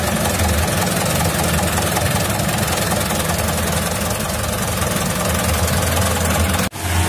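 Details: 2011 Mitsubishi Canter Super Speed diesel truck, which had a rough sound, heavy throttle and weak power traced to a broken injection pump timer: deep, steady rumble for about seven seconds, no misses or knocks before cutoff, running right.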